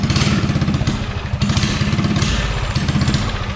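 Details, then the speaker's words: Coleman CC100x minibike with a 197 cc LCT snowblower engine, Nibbi 24 mm carburetor, header pipe and 18 lb valve springs, under throttle in a 0–30 test: the engine pulls but stumbles briefly, running lean; plan to raise the carb needle. "You can hear it hesitate when you get on it. Yeah, it's kind of running lean right there."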